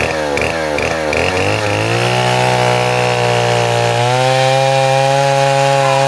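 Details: Neotec 8105 (Stihl 070 clone) chainsaw, pre-refurb, carb screws untouched, half warm, cutting hard maple: burbles and stutters in the cut a second, then clears into high steady scream, opening right up; normal running under load.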